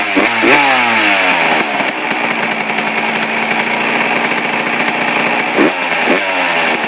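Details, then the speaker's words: Suzuki RM125 two-stroke, first start after complete engine rebuild, cold, air screw at factory 1.5 turns out: crisp ringing idle sitting a touch high, clean blips; runs smooth and healthy. "wow perfect it's perfect um yeah that's pretty good um i don't need just to do a little bit it's a little bit high but that's good enough for me"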